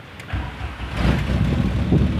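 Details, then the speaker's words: Car engine starts cleanly with a replacement starter motor and settles into a low, steady run; the old starter crackled loudly, the new one makes no grinding or noise. "eu tava estralando tudo só que agora já era 10 rapaziada é isso aí ó não faz barulho nenhum"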